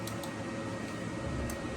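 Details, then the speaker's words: Power-vent water heater after replacement and re-venting with 2-inch PVC: pressure switch senses inducer draft, pilot ignites; steady low fan hum with a few faint ticks as burner lights; normal ignition. "And I just heard the flame go on, so I'll open this up so I can show you."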